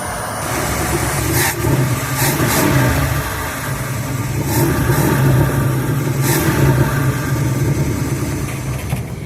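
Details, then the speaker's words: 1985 Class C motorhome engine running after new batteries, dropped fuel tank, and work on the fuel relay switch and fuel pump; steady smooth low-pitched run with gentle rev swells, no knocks or stumbles; normal running engine. "Runs pretty smooth. Fuel relay switch and fuel pump. She sounds pretty good."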